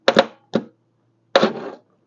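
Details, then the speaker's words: BMW R1150RT motorcycle, starter fed by bridging ignition-switch wires to bypass wiring: short bursts of starter whirr and clunks, engaging only now and then and cutting out; starter motor failed, wiring fine, replacement to be ordered. "It's doing it now and again, so it's so starter motor has officially had it, so we'll get one ordered, and I'm glad it wasn't the wires."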